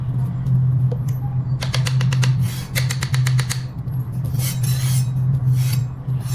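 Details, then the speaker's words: Electric scooter with a mechanical disc brake: a steady low motor hum with quick rhythmic scraping ticks as the bent brake disc rubs the caliper, heard while the caliper is being repositioned. "Let's see, the brake disc is bent. It's bent, so we have to adjust it."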